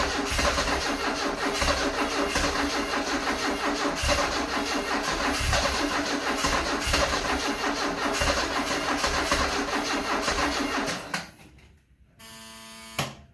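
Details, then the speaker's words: 1974 Alfa Romeo Spider Veloce, 10K original miles, stored 30 years; crank no start with fuel pressure present and spark confirmed: starter churns nearly three beats a second for ten seconds, never catches; earlier suspected flooded. "Let me see if, like, wants to turn over, but it's not. I am getting spark."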